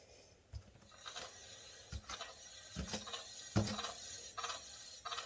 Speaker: Now, you're never going to get rid of the noise 100% because you got pads in there and they're going to rub on the rotor at some point. However, when you have a bent rotor and you hear that, and that, I mean, it's hard not to have a bent rotor.